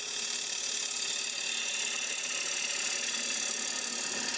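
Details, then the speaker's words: Woodturning a hollow sphere with 3/8 inch Ellsworth-grind gouge, lathe speed brought up: steady, even high hiss of the gouge shaving wood with no chatter or catches; clean slicing cut. "What I'm taking out of the piece has been nicely sliced. I'm going to switch tools in a second, but I want to show you that this is a very gentle, easy method of removing the fibers."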